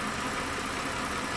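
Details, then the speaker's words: 2012 Mazda 6 3.7-litre, cooling fan previously ran high, erratic and on after key-off; after replacing the sand-fouled fan module, engine running 4 to 5 minutes: even, moderate whoosh that never surges to high speed; normal cooling fan operation. "not running up in the high speeds, not doing anything crazy. It's probably safe to say that I chose the right issue to go after."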